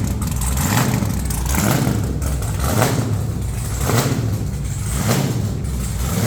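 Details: Truck's first fire-up with headers on and new red valve covers, possibly running some methanol: loud, deep V8 rumble with a steady, even beat and lumpy cam pulse, no knocks or misses. Normal running, louder than their other vehicle.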